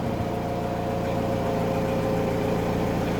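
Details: Mazda Fighter diesel after replacing the leaking fuel hand-primer pump: smooth, even idle with a steady low hum and no knocks or hunting. The engine runs normally.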